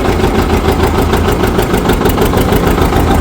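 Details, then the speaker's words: 1959 John Deere 730 two-cylinder tractor, after sitting outside about a year and a half, just started using the compression release, with good oil pressure: steady, even low thump of about three beats a second, no knocks or misses. Normal idle. "Okay. That's nice to hear it running. Well, that runs pretty good. That sounds real nice."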